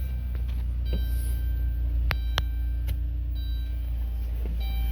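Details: 2018 Dodge Grand Caravan SE with VMI wheelchair ramp conversion, 51k miles, at startup: low, steady hum with an even beat and no knocks, misses or ticks; healthy smooth idle.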